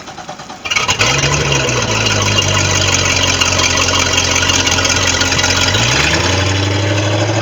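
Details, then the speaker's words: Boat engine, sat for a long time with a new impeller fitted; the no-start turned out to be a tripped breaker: catches within a second and settles into a smooth, steady idle with one brief throttle blip; starts and runs fine; normal idle. "But it starts and runs and seems to be okay."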